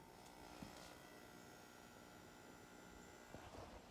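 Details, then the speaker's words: Sunfire heater switched back on during cool-down to simulate a thermostat: cool-down fan stops, fuel pump runs with a steady whirring hum and faint buzz, pressurizing the system normally before blower and igniter start. "That's the fuel pump pressurizing the system. Now the blower fan came on. You'll hear the igniter going."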